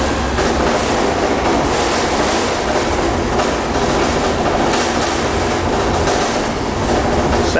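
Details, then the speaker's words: 1996 step van with GM V8 and aluminum body, driving: steady loose clatter and rattling over road and engine noise from body panels and doors, less loud with back door closed; body rattle, not a mechanical fault. "like a bread truck a little rattly"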